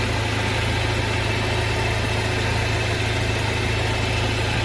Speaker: Nah ini kebetulan ini masih halus, gak ada masalah, kompresor masih bagus.